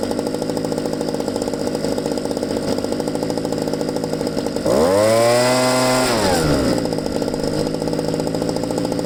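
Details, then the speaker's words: Used Ryobi 2-cycle engine after base idle speed adjustment: small engine buzzes at a steady idle, revs high for about two seconds, then settles back cleanly; normal idle. "so after you adjust the base idle speed which we just did and I'm happy with the way that sounds uh yeah give it a few revs and then let it idle again and make sure it's okay"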